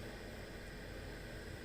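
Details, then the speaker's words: Chinese diesel heater in a van slowing down at low output after reaching about 21 degrees: quiet even fan rush, fuel pump ticking no longer audible, running normally. "I can't even hear the ticking of the fuel pump which is great"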